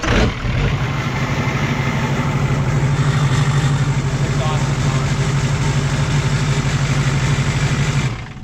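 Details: Pickup truck after a new starter fixed a no-start. The engine catches immediately and settles into an even idle with a steady low drone for several seconds, then shuts off cleanly; starting normally.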